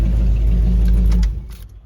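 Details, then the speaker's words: 1959 Ford station wagon V8 running after a suspected fouled plug, which the owner blames on the old Q-jet carb running very rich. A deep, even V8 rumble holds steady, then shuts off with no miss heard: normal idle. "now that sounds like an 8 cylinder all right so I guess we just had a foul plug"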